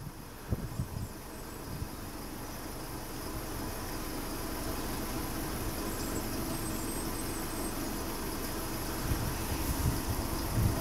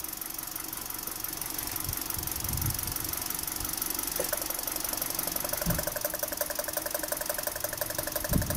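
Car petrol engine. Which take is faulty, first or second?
second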